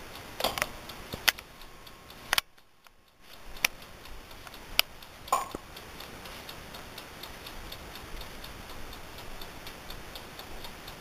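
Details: Amaco polymer clay craft oven, brand new, recorded up close while running: soft quiet ticking with a few louder clicks is the mechanical timer running normally.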